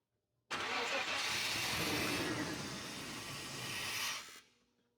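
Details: Rough 1987 Chevy C10 with a 305 V8, a project truck after seized plugs and arcing plug wires melted to the exhaust manifold: rough cranking catches briefly and dies within about four seconds while the distributor visibly wobbles; hard start.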